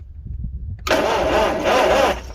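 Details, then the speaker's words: 1955 Farmall 300 row crop after sitting 14 years, after replacing the part owner suspected: starter cranks briskly for over a second with uneven catches as the ignition now sparks; spark restored, fuel next. "we go we got Spark all right that was it was disturbing"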